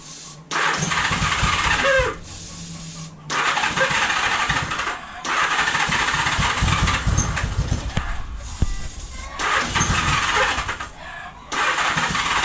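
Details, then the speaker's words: 1978 Honda Goldwing, 45 years old and long idle, choke out with a weak battery barely cranking: starter bursts catch into short ragged firing, then die away; the engine runs briefly only on starting fluid. The fuel pump is to be cleaned next. "oh there we go it fires it runs it's running i killed it with starter fluid"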